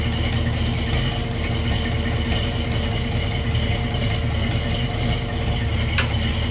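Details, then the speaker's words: Ford Foxbody Mustang project, first start after sitting about three months, slow to start: steady, even low idle rumble with no knocks or misses; idles well though running a little rich and smoky. "But sounds like it's idling good. Everything looks okay."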